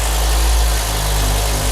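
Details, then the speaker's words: BMW E61 M5 5.0 V10 converted from SMG to manual, after rod bearing replacement: steady, even idle with a deep smooth rumble, no knocks or misses, warming up cleanly. "so the engine is warming up nicely behind us"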